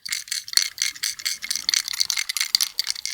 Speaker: hear that little rattle if you take a brand new switch machine it doesn't rattle like that okay that little rattle is indicative of the fact that the little bronze finger contacts internally have broken loose and they're rattling around